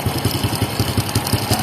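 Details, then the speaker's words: Honda XRM110 idling before repair: even low thump with a faint light metallic rattle from the timing chain, distinct from valve noise; worn timing chain rattle, chain set to be replaced. "So, yun po ang tatandaan yung tunog para di po kayo malito. Yung parang may lagatik na kumakalansing. Yan po yun."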